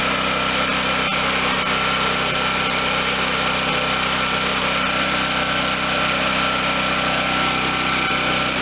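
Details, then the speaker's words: 2014 Wen 4050 generator after a new carburetor was fitted, running with no load: the small engine holds a steady, bright buzz with no surging or rise and fall in speed; a smooth, stable idle. "okay so we got an engine that sounds like a brand new one runs smoothly no surging"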